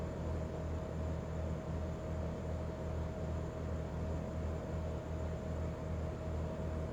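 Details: Daikin Altherma heat pump giving a steady buzzing hum over a low drone that throbs about two and a half times a second.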